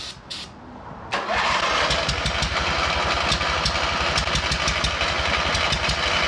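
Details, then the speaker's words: Abandoned MTD mower twin engine started on ether before the fuel line is replaced: uneven lumpy chuff about four beats a second, firing on only one cylinder; head gasket seen leaking. "sounds like it's firing on only one cylinder do that again spray some [ __ ] in there again"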